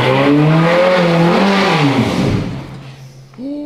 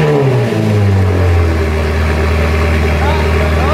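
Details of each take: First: Crash-rebuilt Ferrari F430 engine, run up to operating temperature: revs rise briefly on throttle then sag back toward idle, choked and suffocating rather than free-revving; a restriction when revving is suspected. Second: Rebuilt crash-damaged Ferrari F430 engine, after reconnecting vacuum lines and plugging those for removed exhaust valves: after a brief rev it drops to a steady, even burble with no hunting or misses, vacuum fix curing the idling issue; warming up.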